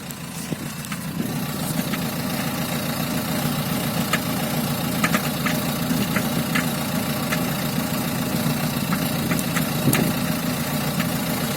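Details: Diesel idle with sharp, uneven knocks, roughly two a second, ticking over the clatter; owner calls it a strange sound: engine knock, cause unclear.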